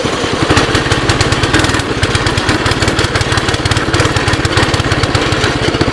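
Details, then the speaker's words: 2006 Baja Warrior, seemingly low-mileage, reportedly new clutch, cold start, choke off, with heavy wind noise; small single cylinder popping at a quick, slightly uneven idle; runs a little rich, owner plans a carb rebuild or replacement. "yeah she's definitely running a little Rich there worst comes the worse throw a $25 carb on it"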